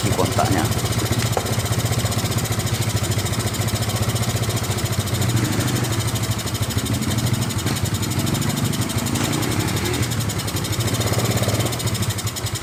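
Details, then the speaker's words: Yamaha Mio Sporty scooter after repairing a faulty ignition-switch socket wire connection, run from a used gear-oil bottle as fuel tank: steady low putter at idle, even rhythm without stumbling or dying; normal idle. "Mari kita coba hidupkan kita sudah bisa hidup ya teman-teman ya"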